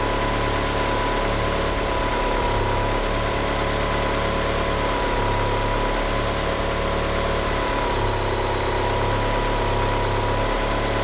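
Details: Car fitted with 850cc injectors, at idle: the low beat dips and stumbles every couple of seconds, with a thin squeal from the slipping power steering pump belt. The car won't rev up. Rough idle.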